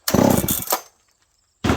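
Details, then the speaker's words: Dolmar 7300 chainsaw fitted with a Husqvarna 266 exhaust pipe in place of the restrictive stock muffler, possibly running richer: crisp throttle bursts rev up cleanly and drop off without bogging; normal running. "Oh, that's good. This is a good running saw. I know why guys like these. They're good saws."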